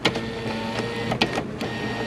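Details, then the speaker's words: Nissan Versa front door window: the motor hums steadily with sharp clacks, so the motor is good and the window regulator cable is broken and needs replacing. "can't hear the motor working so the motor is good [Music] and the regulator is bad"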